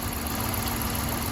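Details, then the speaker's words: Chrysler 300C 5.7 Hemi, warmed up after bleeding the cooling system: quiet, even idle with no lifter ticking, lifters settled and sounding healthy. "don't hear the lifters anymore sounds real good"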